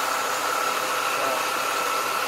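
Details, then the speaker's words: 1996 Mustang AC compressor (about 21 years old) running after replacement for a bad pulley, engaged on defrost: smooth, even hiss and hum, no growl or squeal; good compression, bearings running well — normal operation. "it's a good compression it sounds really good bearings in it running really well"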